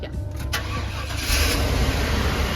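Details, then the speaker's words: RV engine restarted after an on-the-road misfire repair: a short crank, then it catches cleanly and settles into a steady, smooth idle. The earlier tick-tick is gone and it sounds healthy. "Instantly better, I can hear it. See the difference in how much smoother this is?"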